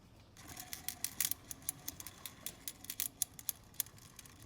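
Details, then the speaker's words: 1994 Mercedes C280, serpentine belt and radiator shroud removed, fan turned by hand: sharp, uneven clicking and rattling of bearings with visible wiggle; owner first suspected the fan clutch but found a worn fan bearing bracket bearing. "can hear the rattling of the bearings. And then all of a sudden you see that wiggling. So what I realized most likely was happening was I had a bad fan bearing clutch."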